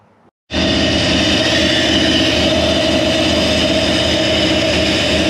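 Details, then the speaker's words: Toyota 1UZ-FE V8 swapped into a Land Cruiser idles lumpy and uneven, about four stumbles a second; number two cylinder misfiring because its injector connector was not plugged in properly. "maintenant donc numéro deux, la broche de l'injecteur venait de le faire, elle n'était pas branchée, il n'y avait aucune sorte de symbole de racine et n'avait pas été branché correctement"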